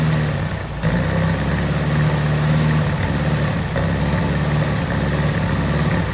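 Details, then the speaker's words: Volkswagen Beetle, first start in restoration with dry gas tank, running only on sprayed starter fluid: low, uneven, lumpy idle that dips and stumbles. "Alright guys, so pretty much as you kind of saw, I got it started. Pretty happy about that."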